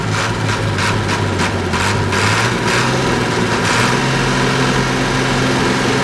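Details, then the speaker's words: TK Bedford crane truck, Perkins 6354 six-cylinder diesel not run for 20+ years, after bleeding air from the fuel system: steady, even idle with regular light clatter and smooth low drone; healthy, running clean. "I really like these engines this thing hasn't been running for 20 plus years and look at it's just running like a Swiss watch"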